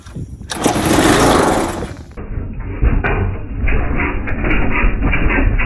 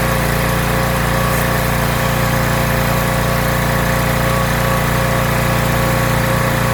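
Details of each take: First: Rebuilt pressure washer small engine with a leaking intake manifold, run on starting fluid after a small stick was cleared from the carb: sputters unevenly without settling; fuel starvation, fuel line disconnected from carburetor. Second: Rebuilt pressure washer small engine with a known leaking manifold, spraying dirt off a car wheel: strong, even drone under pump load with no surging, misfires or dips; runs really well, normal running under load.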